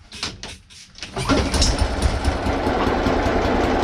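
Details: Hayter 56 Pro mower, previously overfilled with oil and would only tick over, on the bench after straightening a bent part: starts and runs evenly, but at flat-out throttle revs stay modest. Air filter suspected; new one next. Finding: not reaching full speed.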